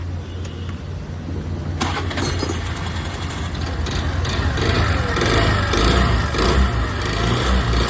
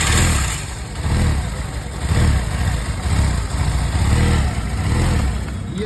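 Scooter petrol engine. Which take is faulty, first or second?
first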